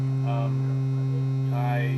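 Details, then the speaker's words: 1990 Mazda Miata: a steady low buzz at one pitch while sound plays through the stereo. The crossover box separating mids from the tweeter highs, stuck inside the door, is vibrating against the panel. "That little box that I had to put in here, the crossover that separates the mids from the highs of the tweeter, there's a box in there."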